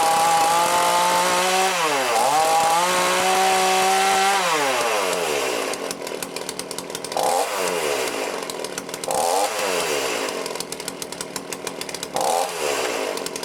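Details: Cheap lockdown chainsaw with Walbro carb, after carb rebuild and high/low screw adjustment: crisp two-stroke buzz climbing and dropping cleanly with throttle, settling evenly under cut; starts easily and cuts well, running properly.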